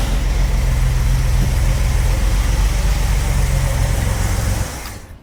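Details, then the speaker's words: 45-year-old 2.8-litre Vauxhall Royale coupe, after carburettor swap and idle tuning, idle at the correct 1.5: even low thrum with steady pulse, no hunting or surging for several seconds before shut-off; normal settled idle. "Okay, that's sitting bang on 1.5 now, which is what it should be."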